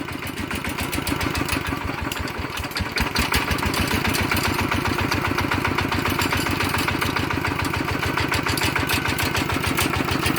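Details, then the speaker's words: Walk-behind farm tractor engine upgraded from ET80 to 90 with all bearings replaced, on Cosmo frame: steady, even single-cylinder diesel chugging at idle, quiet and smooth with no knocks or rattles; healthy idle. "ครับก็ตัวนี้นะครับนับเป็นนาที90นะครับก็ฟังเสียงก็โอเคเงียบแป๊บนิ่มมีครับ"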